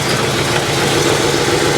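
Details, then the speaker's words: 1953 Pontiac Chieftain straight-eight (Super 8/Silver Streak), warm just after a 50-mile drive to a car show: smooth, even idle with a soft, steady rumble and no misses, knocks or ticks; purring like a kitten, running normally. "There she is, purring like a kitten, man. I told you she'd make it."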